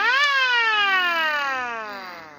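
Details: Gent mini mono mains siren: a sharp wail rises fast, then its pitch slides steadily down as it winds off. The siren is working as it should.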